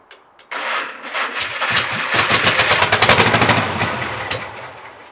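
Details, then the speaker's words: Mystery VW engine for a 1959 ragtop, after new spark plugs and wires (cylinder one had no spark), a cleaned carburetor and adjusted valves. It cranks, catches and runs with a stumbling, popping beat; running rough; owner thinks it needs a new carburetor. "all right not too bad my battery's dying on me so that's all I could really show but uh I think I named I need a new carburetor but this thing can run so I'm pretty happy with that"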